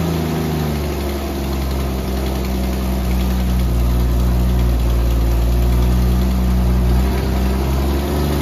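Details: 1964 Dodge Dart station wagon, 170 slant six with push-button automatic, revived after 25+ years parked: steady, even idle, smooth low drone, no knocks or misses; running really good, normal idle.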